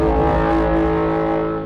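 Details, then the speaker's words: Kia EV6 electric car creeping to a stop in traffic: long, low, steady droning moan from the brakes, likened to the War of the Worlds tripods, fading out. Brake groan at crawl speed. "When you're creeping along in traffic, this car makes a weird groaning sound from its brakes. Have a listen to this. Sort of like the noise the tripods make in the War of the Worlds."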